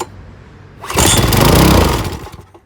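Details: Old Briggs & Stratton push mower engine, tried with choke. It bursts into life for about a second and a half, then fades and stops. Cause unconfirmed; carburetor function in question. Fires briefly then dies.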